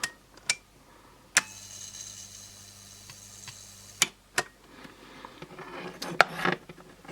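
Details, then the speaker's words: Very cheap USB mains charger under insulation testing after failing with 3 mA leakage: irregular sharp snaps and cracks over a faint hum. This is high-voltage arcing through insulation, suspected inside the transformer. "yeah I definitely hear arcing H I wonder where it is it's probably inside this Transformer here I'd guess"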